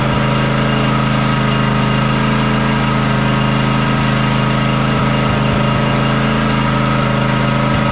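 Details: John Deere X300 riding mower that runs rough, surges and lacks power at full throttle, after fixing the choke: loud low idle at about three beats a second with uneven stumbles and dips; carburetor or fuel issue suspected, fuel itself looks fine.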